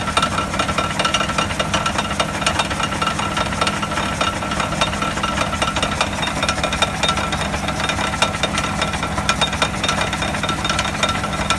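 A rough, gritty rumble with scattered rattles comes through the stethoscope; the wheel hub bearing is worn.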